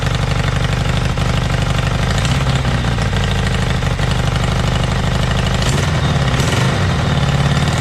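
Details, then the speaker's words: Kawasaki Zephyr 750 motorcycle, restoration project with carbs and exhaust just refitted; loud, even exhaust pulses at fast idle with no misses or stumbles. Both cylinders firing, engine runs steadily. "okay that's good at least I know both of them are running now"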